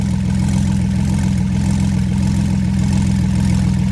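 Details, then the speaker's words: Flood-damaged Porsche 911 Turbo, second start without teardown after water found in the fuel, running 50/50 Marvel Mystery Oil and 0W40 on a base map: steady even idle, equal smoke from each pipe, earlier tick gone; sounds healthy. "it sounds good if you ask me we got equal smoke coming out of each pipe it actually isn't sounding better too"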